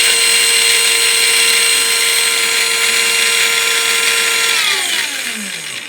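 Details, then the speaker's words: Second new V3 model tank gearbox, not yet lapped, run on the bench: steady high multi-tone whine, more pronounced than the first, with no start-up fluctuation, sliding down in pitch as it coasts to a stop after unplugging; gear mesh whine. "Notice we didn't get the big fluctuation at the beginning on this one. But the whine is much more pronounced."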